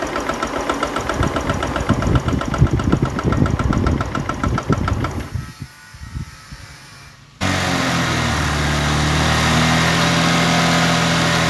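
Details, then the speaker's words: Honda Click 125i after water pump replacement: uneven lumpy idle sagging and stalling, wouldn't accelerate; valve readjustment didn't help, fixed by resetting ECU values. Unstable idle from incorrect ECU settings. "ใส่ปั๊มน้ำแต่น้องเครื่องสตาร์ททีแรกเดินเบาไม่ได้เหมือนเดิมนะครับตั้งวาล์วใหม่ก็เดินเบาไม่ได้นะครับก็เลยได้เซตค่านะครับเซตค่าใหม่ครับถึงใช้ได้นะครับ"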